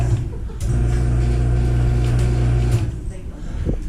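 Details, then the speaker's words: LiftMaster garage door opener motor hums steadily for about two seconds when the button is pressed, but the chain and door don't move; the drive is not engaging. "motor is activating but nothing's happening with the drive at all the door is not moving at all it's not pulling chain"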